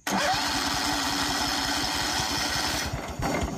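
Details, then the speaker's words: Long-sitting engine with a dead battery and a nasty carburetor, smelling of old gas, cranked via a Jump-N-Carry box: starter churns evenly and quickly for about three seconds but never fires; cranks, no start; owner suspects it needs a carb clean. "All right, so now we should be able to crank it. Now, I didn't expect this one to start because this carburetor is nasty. It's been sitting here for a long time, so, but it's good there."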